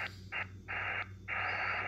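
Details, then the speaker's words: Xiegu X6100 ham radio, no antenna (same on dummy load), RF gain 100%, S9: hiss in short bursts with faint high whistle; internally generated birdie spur, needs RF gain lowered to about 60%. "when you hear a noise like that that is definitely in the radio S9 with uh RF gains up at [Music] 100%"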